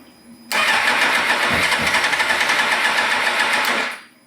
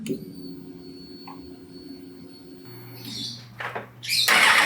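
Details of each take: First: 2000 Suzuki GSXR 750 after sitting with fuel: starter spins with quick even chatter about four beats a second for three seconds, never fires; low fuel pressure, faulty regulator (spec 300 kPa/43 psi). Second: 2000 Suzuki GSX-R750 that would crank and sputter but not start, after replacing the fuel pressure regulator (300 kPa, 43 psi): quiet handling, starter catches and engine settles into an even, steady idle with no stumbling; normal start and idle, fixed.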